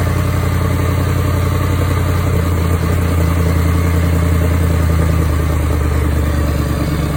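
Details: Jaguar XF 5.0 supercharged V8, first start-up after engine rebuild, idling with a rapid puffing tick over the deep rumble; exhaust leak.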